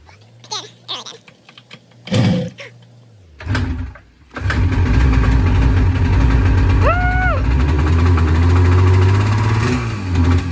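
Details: 1978 Yamaha RD400 two-stroke, unstarted since 1993 barn find, after carb cleaning and tank rust removal: several crank attempts, then catches into a busy crackly run with a quick rev; starts and runs.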